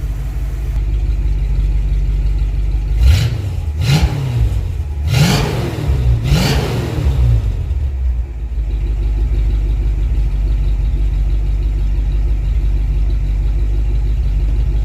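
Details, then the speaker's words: Freshly rebuilt Dodge 318 Poly V8 pickup, recorded at the rear: steady low idle, then four quick clean throttle blips that rise and fall smoothly before settling; healthy engine and exhaust. "I'll set you guys up we'll give her some revs this thing sounds pretty nice"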